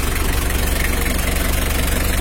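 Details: Mitsubishi L300 diesel at idle during a radiator fan and fan-clutch airflow check. Even clatter with regular pulses about twenty-five per second and no odd knocks; it sounds healthy.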